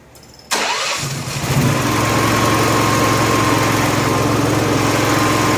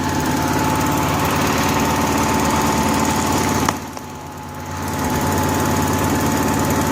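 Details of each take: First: Honda gas-powered AEC welder generator, electric fuel pump now on factory wiring (pump powered only from cranking onward), hoses clamped with no leaks: catches and settles into steady idle with a faint whine, then starves within about a minute. Fuel starvation; the fuel shutoff was rated for natural gas, not gasoline. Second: Honda gasoline welder generator with fuel-starvation trouble, running on a newly added electric fuel pump jumpered to the battery: small engine drones at steady speed, sags briefly for about a second and recovers, otherwise running evenly.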